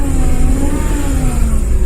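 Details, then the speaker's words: Dodge Caravan 2.4 after the belt tensioner fix, AC on: faint steady whine over the engine rumble, pitch following engine speed, heard when revving; AC thump is gone and AC blows cold; whine cause unconfirmed, possibly a pump. "you can hear it there a little bit that's that noise so I don't know the AC works cold so I'll do some research on it"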